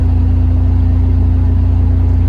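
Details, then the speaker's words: 1999 Toyota 4Runner, idling with a replacement alternator, lights and defroster on and holding 14 volts: a smooth, low hum with no whine. The whining noise is completely gone and the alternator stays cool after five minutes. Normal charging. "dang holding right there at 14. no more whining noises at all completely gone"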